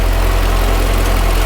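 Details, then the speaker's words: Project vehicle first run after 2.5 years of rebuild, ECU not yet talking to transmission module: low steady rumble, even idle without knocks or stumbles; healthy engine, though a separate clicking noise is noted. "Yeah, that's a healthy motor."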